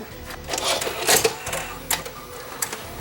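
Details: JVC HR-S5300 VCR after repairing a faulty cassette loader mechanism and resetting its switches: short whirring motor with clicks and clunks as the tape is pulled in and threaded; loading now cycles normally.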